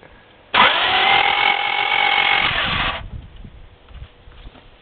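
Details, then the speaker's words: Honda, turned over by starter and a failed clutch pop-start attempt; steady whirring crank of about two and a half seconds with no firing. Will not start, cause unconfirmed. "okay it's moving it's cranking I tried to pop the but didn't work"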